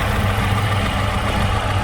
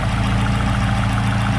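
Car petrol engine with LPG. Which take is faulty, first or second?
first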